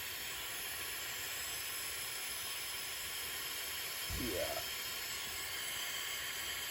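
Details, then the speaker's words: Firman 2100i suitcase generator with low compression after running all night over loose dirt (ingested through bottom intake); leak-down test at 100 PSI holds only 34 PSI, over 60% leakage; constant hiss of escaping air; excessive cylinder leakage. "so right now I'm giving it 100 and it's holding 34 PSI which is 2 PSI better than the one that it was sitting right next to to sucking dirt so 100 PSI out of 100% it is leaking out a lot"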